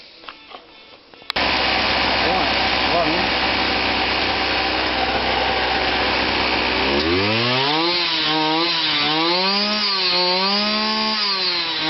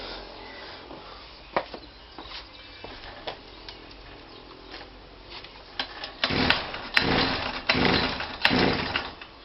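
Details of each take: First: Kawasaki KBH43A two-stroke strimmer after repair: it had run only on choke and struggled to get petrol up. Buzzy note holds steady, then rises and falls smoothly with throttle, no misfire. Idle was set a bit high and turned down. Normal running. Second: Kawasaki KBH43A strimmer after sitting a year, only ran on choke, old fuel filter temporarily fitted: several pulls then short uneven revving bursts that rise and drop away; struggles to keep running, fuel starvation suspected, fuel cap also suspect.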